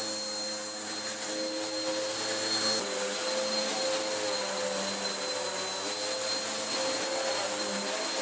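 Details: Vax Power U84 upright vacuum after belt kept running off centre, new belt fitted; steady high-pitched motor whine with rushing airflow, even and unbroken, brush roll spinning, though an air leak is suspected. Normal running.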